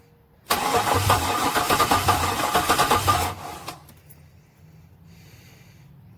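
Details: Chevy LS-swap engine: the starter cranks steadily at about three turns a second for three seconds but the engine never fires. The owner reports no spark and is unsure whether the fuel pump is switching on.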